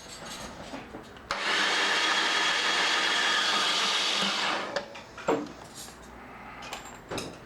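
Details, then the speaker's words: 1995 BMW R1100RSL that would not crank, now with a Westco battery replacing one reading 10.4 V, spins evenly for about three seconds with the spark plugs removed. Cranking is normal, with no drag or clicking. "cranks over just fine without the spark plugs"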